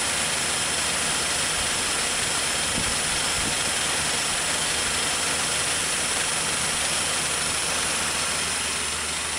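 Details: 1947 Dodge petrol engine idling after an engine-out rebuild to investigate a slight knock: steady, even, hiss-heavy run with no knock standing out; knock appears cured.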